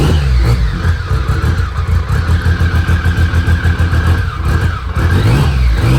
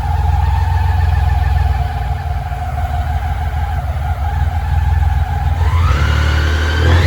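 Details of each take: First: Restored BMW K75 after fixing a vacuum leak and a worn track: strong, even engine note rising and falling cleanly with the throttle, no stumbling or hesitation. It is running healthily. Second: Restored BMW K75 running with the air flow meter unplugged: uneven, lumpy idle that climbs sharply when revved near the end. It runs rough because the air flow meter is disconnected.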